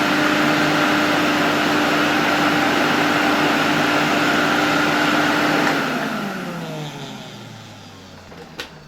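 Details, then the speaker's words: 1973 Electrolux Z320 vacuum cleaner after removing the failed RIFA suppression capacitor and reassembly: even high motor whine holds steady, then winds down smoothly at switch-off with no rattles or grinding; works fine apart from a dead indicator bulb. "Other than that, the vacuum cleaner seems to be working fine."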